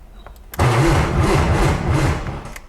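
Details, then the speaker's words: 1995 BMW E36 M3, long-sat Copart car, cranking without clutch: uneven wobbling churn, sounds like rubbing, slowing as the battery dies; never fires. "it sounds so weird like sounds like it's rubbing on something maybe i shouldn't keep trying to turn it on"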